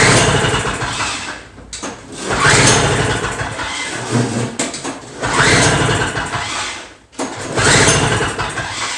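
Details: Toro two-stroke snow blower, no-start: several pull-start surges that rise and fade without running; fuel level being checked, half choke tried, cause not confirmed.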